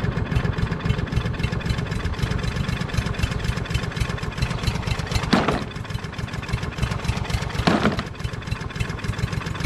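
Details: Craftsman push mower with a Briggs & Stratton 550EX engine, stored all winter, started on fresh gas; runs unevenly, missing beats and sagging. Carburetor needle suspected stuck, with gas dripping. Engine sputtering.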